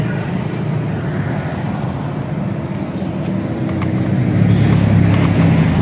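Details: Honda Scoopy with a CMS exhaust rebuilt and repacked to change the tinny note to a mellow deep one. After refitting, a steady mellow drone swells smoothly as the throttle opens near the end. The exhaust note is deep and healthy.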